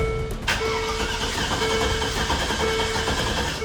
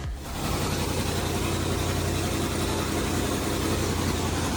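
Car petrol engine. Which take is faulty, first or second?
first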